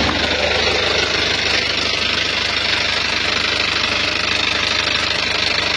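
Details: Isuzu Panther Touring diesel at idle, arrived with rough engine and oil leaks: rough idle with fast uneven tek-tek ticking about three per second over clatter, likely a loose internal part.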